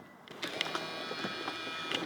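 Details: 2003 BMW E46 Clubsport: high-pitched window motor whine for about two seconds, with clicks and knocks as it starts and stops, an issue that needs addressing; noisy power window operation.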